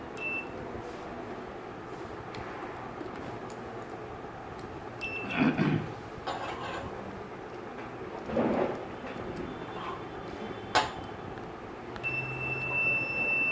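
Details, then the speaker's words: AC contactor bench test: with supply applied to the coil, the magnet pulls in with an audible sound, and a multimeter gives a continuity beep in short bursts, then steady, across the contacts, cutting out when the supply is switched off; contacts closing normally, contactor good. "इसका मतलब ये contactor क्या है, सही है। अब मैं इसको ऑफ करूँगा तो ये बीप कट जाएगी, देखना अभी आ रही है ना, अब इधर कट जाएगी, कट गई, ऑन करूँगा आने शुरू हो जाएगी, समझ में आ गया। अगर इस तरीके से अगर आपको कॉन्टैक्टर काम कर रहा है तो आपको कॉन्टैक्टर ठीक है।"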